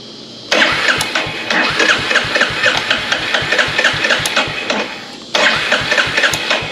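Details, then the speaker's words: Royal Enfield Hunter 350 at 300 miles, first start after DIY first service and valve adjustment: repeated cranking bursts with uneven pops that never catch. Owner first suspected fuel starvation, then suspected a coil connector left unplugged. "Contact. Not good. What did I forget? That's up. This is up. Oh, it may have just, it's probably starved from fuel."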